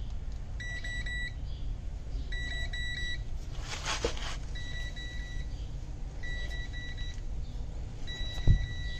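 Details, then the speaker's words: Semitrailer ABS wheel-speed sensor, pushed back against the cleaned tone ring after grease from a leaking seal had forced it away, tested with a multimeter: repeated beep bursts pulse with wheel rotation; normal sensor signal. "As you can see, the resistance is playing. It means the ABS sensor is working right now."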